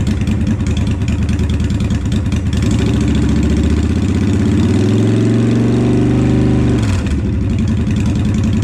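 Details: 2007 Honda Shadow Spirit 750 V-twin, first start after installing Cobra Streetrod Slashdown exhaust: deep even idle rumble, revs climb smoothly around five seconds and drop back cleanly; healthy idle and revving.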